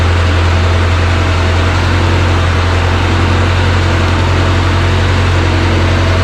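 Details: JLG 40G manlift started after electrical troubleshooting: loud, steady low drone holding constant speed without stumbling or surging. Engine idles normally.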